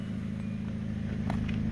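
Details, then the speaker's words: 2005 Hyundai Accent idling after backyard exhaust repair, corroded flange section welded in and gasket reseated; heard at tailpipe, smooth low even rumble, no puffing or leak; engine ticking noise considered normal. "and sounds coming out of the tailpipe it's where it's supposed to be so I'm liking it you hear all the tickies noise in the motor should be there"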